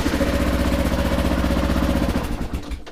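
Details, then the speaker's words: 2009 Kawasaki KLR650, 10,443 miles, cold start after fuel turned back on: single cylinder catches and thumps unevenly about two seconds then dies; needs more choke. "Oop, yeah, it needs a choke."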